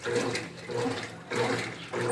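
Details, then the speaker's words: 2014 Brastemp Clean 8 kg top-load washer, refurbished with new pump, on test in a heavy program: rushing water in surges over a quiet background, no buzzing or hammering; filling normally to medium water level, more than half. "Nível médio de água. que é mais da metade."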